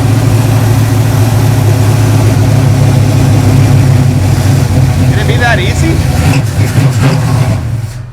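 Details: 2012 caged dirt car, first fire-up after the fuel pump was heard priming, later showing 60 lb oil pressure: a deep, steady V8 rumble holding an even idle without misses or knocks, a healthy normal idle.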